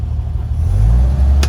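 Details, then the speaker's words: Unrestored 1969 Toyota FJ40 Land Cruiser, 28,967 miles, with its carb choke pulled to fast idle. Low, steady rumble lifts and holds a little higher partway through; the choke brings it up to a smooth fast idle. "And all these kind of funky things. The choke works. You can find it here."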